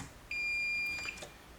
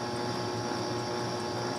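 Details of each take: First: and I'm just going to check on both sides of the fuses using the diode tool okay because that will tell me there's continuity between these two Second: Bally Embryon pinball machine stored 30 years, with the speakers disconnected: steady electrical hum with a faint pulsing buzz from the squawk-and-talk sound board amplifier, hum changing with the knob; the old capacitors are expected to cause it, and replacing them should reduce it.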